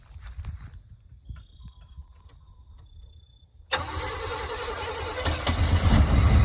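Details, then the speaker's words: 1991 Chevy stepside 350 V8, sat two to five years, first start with no fuel pump, running on fuel poured into the carb: knocks then catches and revs roughly for about ten seconds before dying; fuel starvation. "there it goes run out of gas yep so it is a fuel pump that's all it all needs"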